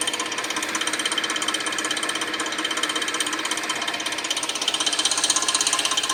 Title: Weird noise from 2006 Suzuki 2.7 V6 Engine 3